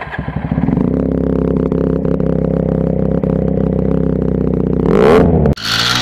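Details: Dominar single-cylinder motorcycle: steady idle for about five seconds, then it surges, stumbles and cuts out abruptly, and it won't start again after 30 seconds of running; engine stalls, cause unclear.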